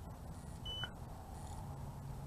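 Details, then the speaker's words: BWINE F7 GB2 GPS drone (1806 brushless motors) remote controller giving single short high-pitched beeps over a faint low hum as the drone returns home on low battery voltage; low-voltage warning. "the remote control is beeping single beeps and i can see it and i can hear it coming back"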